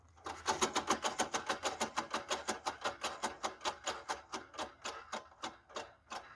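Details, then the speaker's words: VAZ 21099 rear right wheel spun by hand on a stand, rhythmic scraping about three times a second slowing as it coasts; began after hub bearing replacement and handbrake cable tightening: broken drum brake spring rubbing. "ну вот такой звук очень неприятно при движении такой dd dd dd h&h четко прям хорошо очень слышно"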